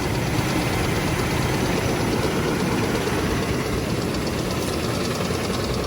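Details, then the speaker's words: 2001 Oldsmobile Bravada, warm, held near 2000 rpm then idling, oil pressure about 40, service engine light blinking, a squeak, and smoke from a leaking valve cover gasket. Rough, loose knocking deep in the bottom end; a spun bearing is suspected. "But it sure does sound like it's spun a bearing in the bottom."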